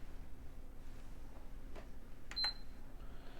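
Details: PS5 CFI-1115A with Beep On-Off fault, RAM error codes for banks three and five after clearing codes: at power-on one short high beep and soft clicks, then silence; console shuts off, cause undetermined.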